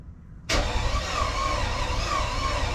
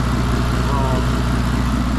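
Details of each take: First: Car started in the garage after oil-leak repair, with an earlier two-cylinder misfire: engine catches after a short crank, then idles with an uneven, lumpy beat, sounding like half the cylinders missing; misfire at cold start. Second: Modified turbocharged car with header wraps, warm after about 10 minutes running, following oil leak fitting repair: steady, even low idle with no skips; healthy, though a faint possible hiss of unknown source was noted.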